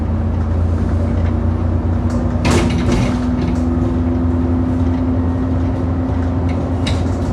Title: 10662 YX66 WDE making a loud knocking noise over potholes on the 27 service to Wombwell